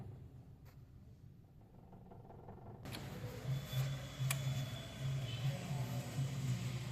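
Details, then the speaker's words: Maruti Dzire BS6 petrol idling with injector circuit open/low codes on cylinders 1 and 2, injector wiring chewed by rats (before repair): rough uneven lumpy idle misfire; customer had complained of clutch, not the cause. "तो clutch का काम नहीं engine में इस fire भी कर रहा है"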